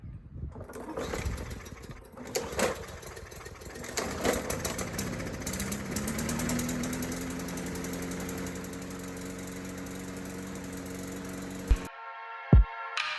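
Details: Lawn mower that kept dying, after carburetor cleaning and reassembly and refilled with gas: pull-start fires after a few seconds and settles into a steady single-cylinder drone under background music; running properly.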